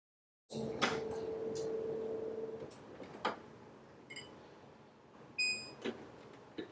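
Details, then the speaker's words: Whirlpool refrigerator (model W10749397 A): the ice dispenser motor hums about two seconds but no ice drops, then clicks and beeps; the door-actuated button isn't pressed properly when the door shuts, so dispensing fails. "So whenever I try to dispense the ice, you can hear the motor is rotating, but it's not dispensing."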